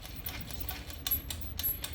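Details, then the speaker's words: Commercial straight-stitch full-shuttle sewing machine (Usha/Sheila TA1 or 95T10) before proper oiling: low rumble with scratchy ticks and faint squeaks because the bushings inside the rod holes lack oil. "ఇట్లా రాసుకోబోతున్నట్టు గీకోబోతున్నట్టు sounds వస్తాయి మీకు మీరు గమనించినట్లయితే ఈ sounds వస్తాయి అన్నమాట ఈ sounds ఎందుకు వస్తాయి అంటే ఈ రాడ్స్ హోల్స్ ఉన్నాయి కదా హోల్స్ లో లోపల బుషెస్ ఉంటాయి ఈ బుషెస్ లలో ఆయిల్ మిస్ అయితే మీకు అప్పుడు ఆ సౌండ్ రావడం స్టార్ట్ అయితది"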